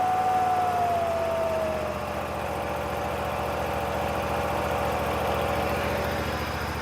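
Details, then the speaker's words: Bobcat Predator Pro zero-turn with Generac engine that was losing power in tall grass, after fuel line rework, at max throttle with choke on: even, steady drone with a faint whistle easing early; runs normally and smoothly. "Let's give it a try. Max throttle chokes on. Let's see what we get."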